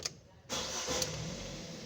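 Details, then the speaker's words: Fiat Strada 1.4 Fire, hot restart right after shut-off; the fault is slow restarting after sitting a while. Catches within half a turn and idles evenly, so an overheating ignition coil is ruled out. Normal restart. "Miren cómo arranca. Si fuese un problema de bobina encendido, ella no este no entraría en funcionamiento."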